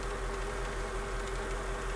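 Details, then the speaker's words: Mercedes SL500 R230 with ABC suspension, after valve block rebuild, system not yet primed: smooth, even V8 idle hum, no knocks or misses; engine sounds good. "so i need a new one of those too but she sounds good right she's a little crooked but she's coming back to life listen to the engine it sounds really really good"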